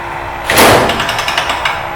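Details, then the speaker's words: 19000 series panel lifter with blower, lowering panel to surface: thud, then quick string of light ratcheting clicks as the slip clutch lets go; normal, before two-hand release. "again you heard a slip clutch and then you hit two hands for the release it has a blower so you raise up slowly and it will release from the panel"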